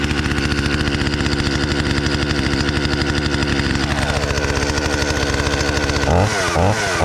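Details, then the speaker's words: Stihl chainsaw, unused about a year, cold-started on half choke after choke cycling; buzzy two-stroke holds a steady idle with quick throttle blips, running clean and even; let idle a few minutes to warm; normal idle. "So I normally let these guys sit here and idle a couple of minutes, not too long. They need to really be spinning to stay cool."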